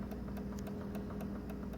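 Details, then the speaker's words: Xbox One disc drive grinding and clanking: sharp repeated clicks about four a second over a low hum; it won't read or play discs, though installed games still run. "okay so that grinding noise click click connect' clang clang clang that ain't normal"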